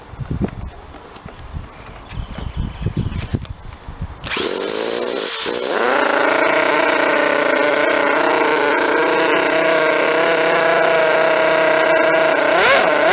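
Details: Model twin rotary engine, retested after fixing stator gear mesh noise, bad crank and housing, plates .005 mm out; steady high-pitched even drone, no gear chatter or rattle; normal running.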